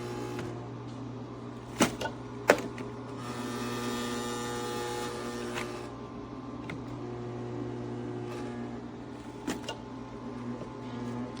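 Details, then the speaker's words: ecozy countertop nugget ice maker with its ice drawer not pushed fully in: a steady low hum with a rising rattly buzz and odd clicks. The noise is loud vibration from the unseated drawer and can also occur if something touches the unit. "I've got to say, for a small little ice maker, this thing does have some output You see how loud it gets when the drawer isn't pushed in all"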